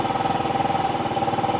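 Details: Yamaha Mio 125 RR scooter with hard starting and a battery that goes flat within 3–4 days parked. It ticks over at a steady, even pulse with no knocks or misses. Battery 12.5 V after start, charging about 13 V at idle; healthy idle.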